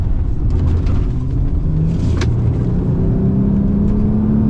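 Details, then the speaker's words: Nissan Murano after catalytic converter replacement (cheap aftermarket cat, no heat shields); previously misfired on 2 cylinders with a disintegrating cat clogging the rear cat and losing power: smooth, deep note climbs steadily under acceleration, strong even pull, torque steer. "Lots of torque steer. Lots of power. Feel a lot better about it."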